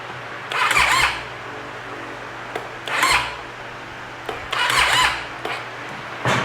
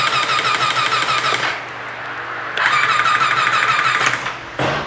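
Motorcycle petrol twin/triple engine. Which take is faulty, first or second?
first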